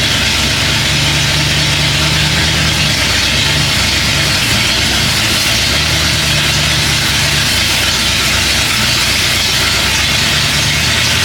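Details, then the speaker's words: 1967 Pontiac Bonneville, abandoned on a farm, first start on a jump pack plus a borrowed AC Delco battery, oil smelling gassy; loud steady rumble with even drone, no misses or knocks; normal running. "She runs. She runs now. We can move on. That sounded really good."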